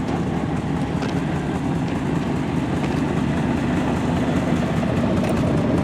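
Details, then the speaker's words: Old GMC pickup at 238,000 miles: steady, even low rumble with no knocks or misses while idling. Still running well, normal idle. "it's still running as you can hear and running pretty good"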